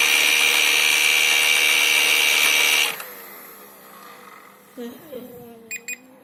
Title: Ilife v7s pro-screeching sound from main brush motor